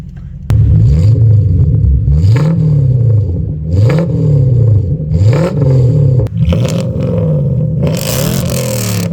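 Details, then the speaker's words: Toyota Soarer 1UZ-FE 4.0-litre V8 after an X-pipe and louvered-core resonators were added: repeated quick blips, deep and smooth with no boom or rattle, now quiet enough for the neighbours. Normal exhaust note. "That's this video done and dusted. Finally the exhaust sounds how it should. Nice and quiet without disturbing the neighbours."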